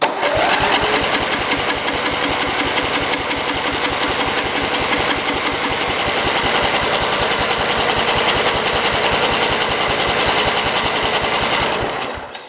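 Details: Cub Cadet 482 garden tractor getting more gas: a small engine firing in a fast, uneven, ragged pulse of about two to three beats a second, then cutting out. Oil on the engine burns off as smoke and air is felt escaping; rough running, cause unconfirmed.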